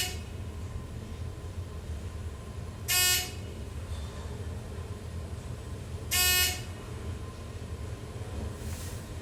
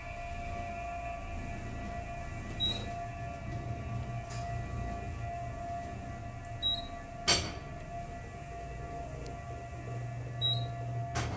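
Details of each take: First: as you can hear the machine this is quite audible that's because it's right there in the chef's this is it moral traction there Second: Aging 1970s hydraulic parking-deck elevator, Park or Southern, travelling between floors: sharp single bangs every few seconds over a steady motor hum, one at each floor; something suspected loose in the shaft, cause not confirmed.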